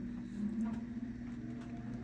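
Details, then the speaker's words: 23-year-old Carrier gas furnace that failed to ignite although the igniter glowed, just re-powered after a breaker reset: quiet steady blower hum with no ignition yet, the normal pre-purge run of about 30 to 90 seconds after power loss. "so right now you're hearing the blower come on many of these units uh carrier slcp or in this particular case they will go into what they call a pre Purge mode which essentially just runs the blower for how many ever seconds 30 seconds 90 seconds"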